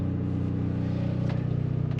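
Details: Onan generator in an Arctic Fox 990 truck camper after quieting modifications, noise down from about 70–75 dB to about 60 dB and no oven pan rattle: short stretch of even, low hum; normal running.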